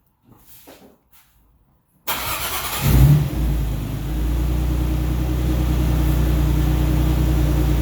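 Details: 2002 Isuzu Trooper LS 3.5 V6 6VE1, 4L30E, after alternator replacement fixed stalling from AC ripple: quiet, then brief crank catches cleanly and settles into smooth even low idle with no stumble or surge.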